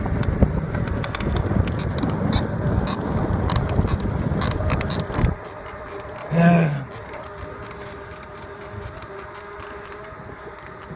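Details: Cannondale Rush 29 mountain bike being ridden: rapid, uneven run of sharp squeaky ticks, about three a second; rhythmic squeak while riding.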